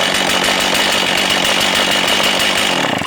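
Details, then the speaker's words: Older STIHL 036 Pro chainsaw with 20-inch bar and chain, well cared for; steady high-pitched buzz at high revs, clean and even with no stumbling, then tapering off, a strong healthy saw. "Real strong saw. Got a lot of life left in it."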